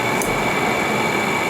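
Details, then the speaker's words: 5000 BTU Frigidaire window air conditioner cooling a 192 sq ft shop at 76°F, compressor off: a steady high-pitched whine over the fan hiss from a failing condenser fan motor bearing. Owner thinks a voltage spike after new wiring caused it. "as a 5000 BTU Frigidaire and you can hear the noise of the fan motors making"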